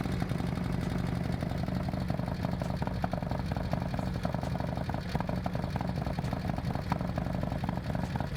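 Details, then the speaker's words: Harley-Davidson Milwaukee-Eight with S&S 124 kit and Samson exhaust, first fire-up after build: fast sharp lifter ticking, about four per second, over a lumpy V-twin idle until the lifters pump up with oil; left to heat-cycle, expected to quiet down. "so once that cam starts building once the lifters start building pressure then it'll start cackling more foreign so basically it'll be noisy the lifters are gonna build pressure up"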